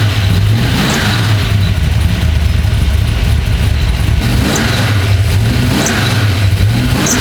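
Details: Carbureted drag car at Cincy Street Nights, run after checking float level and leaks, before checking ignition timing: even, deep rumble holding steady with no misses, pops or stumbles; runs cleanly.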